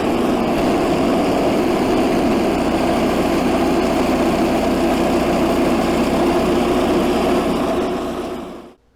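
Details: Stock Predator 212 single-cylinder swapped into a 1984 Workhorse GT100 tractor, pulling the factory PTO mowing deck: a steady, even drone holds speed without stumbling until shut off, a healthy engine under load.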